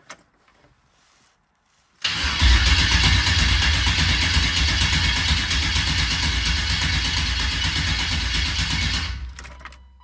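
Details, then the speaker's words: Corvette LS V8 with Speedmaster intake, first crank with spark plugs installed: steady cranking at about four beats a second with a slight gallop; owner suspects a lifter not quite seated, not confirmed. "A little, maybe a little gallop. But it could be the, lifter that's not like, maybe a lifter that's not quite there."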